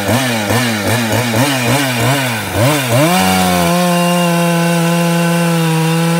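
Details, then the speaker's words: Ported 154 chainsaw with skip-tooth chain cutting small oak, surging and sagging about three times a second then holding a high buzz; owner suspects it is nearly out of fuel. "it might be yeah she's about out of fuel that's why she's doing that"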